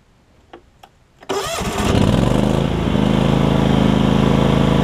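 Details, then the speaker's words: John Deere LX277 riding mower after deck swap from an LX178; a few clicks, quick crank, then smooth even single-cylinder run with no knocks or misses, normal. "so i'll crank it up i'll show you that everything runs and does what it needs to do"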